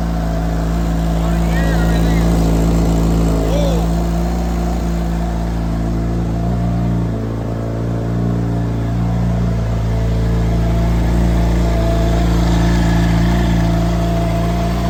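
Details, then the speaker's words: Yamaha snowmobile engine with compound boost, fuel pressure good, coolant warming up after restart: steady, even engine note with smooth low rumble, no irregular knocks; normal running. "Fuel pressure looks good. Coolant's warming up. Running. Sweet."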